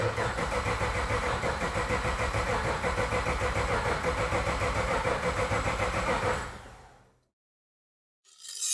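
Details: IS200 with LS V8 conversion and base ECU map, first-start attempt: even, steady cranking at about three and a half beats a second for six seconds with no firing, checking for oil pressure; healthy crank.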